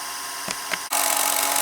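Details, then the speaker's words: VCR rewinding an older VHS tape unplayed for a while: steady high whirring hiss turns louder and rougher as the motor strains; owner suspects the tape is sticking to itself on the spool. "eah, you can hear it when the motor's like straining itself on some of these older tapes."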